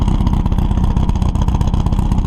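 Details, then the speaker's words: Buggy engine with dual carbs restarted after carb adjustment and correcting badly-off ignition timing: crisp, steady idle with an even low beat, no misfires, knocks or stumbles; running healthy. "she's back up and running she runs really good now really crisp righto as normal though"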